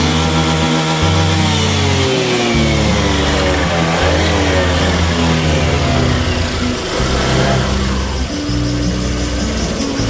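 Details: Honda Vario 150 fuel-injected scooter, still faulty after an ECU reset: engine bogs, stutters and breaks up on sudden throttle as if out of fuel.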